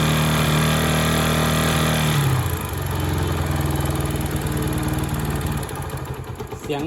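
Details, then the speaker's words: Honda Sonic single after top-end rebuild (new cylinder, piston, rings): hard regular metallic valve-like clatter growing much louder with revving; valves adjusted and cam chain not slack, still loud; piston hitting cylinder head. "คล้ายๆเสียงวาล์วนะแต่ตั้งวาล์วแล้วก็ไม่เงียบโซ่เราลิ้นก็ไม่หย่อนเร่งยิ่งเร่งยิ่งเร่งแรงๆเนี่ยมันจะยิ่งดังดังมากเลยนะ"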